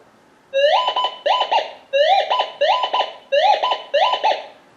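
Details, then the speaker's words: Minelab Gold Monster 1000 gold detector, indoor tone test with a steel nail: warbling tones in doubled bursts as the coil sweeps, chattering twice off one side; the typical steel target signal. "Now this is steel, so you can hear it do a double chatter going off the one side."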